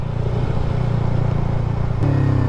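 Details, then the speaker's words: Yamaha XSR 155 motorcycle with the pipe reinstalled to avoid fines: low mellow exhaust putter rising smoothly in pitch, no rasp or drone; exhaust now quiet, normal. "Wala na, tahimik na yung motor natin. Let's go. Yun na, napakatahimik tahimik ng pipe natin. Wala na maingay."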